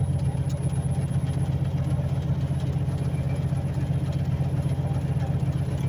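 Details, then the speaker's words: Diesel truck with intermittent codes cleared; owner heard a turbo whine. A forced DPF regeneration is started through a heavy-duty code reader's aftertreatment actuator test, and the deep, even idle rises and holds steady with no knocks or misses. "All right, so actuator test, after treatment, diesel particulate, DPF. All right, let's see if we can do it. All right, we're speeding up."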